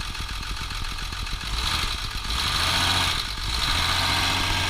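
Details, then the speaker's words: 1958 Mercedes-Benz 220S with bypassed fuel pump and a regulator: even regular idle pulses, then a smooth rise on a light rev that settles back, no misses, knocks or smoke; engine sounds healthy. "and uh it sounds nice why don't you go ahead and rev it up just a little"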